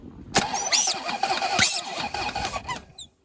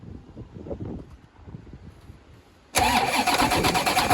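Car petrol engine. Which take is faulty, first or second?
first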